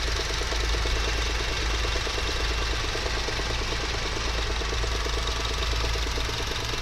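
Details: 2009 Honda VIII with R20A3 petrol engine idling: quick, even knocking that ticks steadily over the hum, from a worn AC compressor clutch bearing; solved by replacing the bearing (35x55x20).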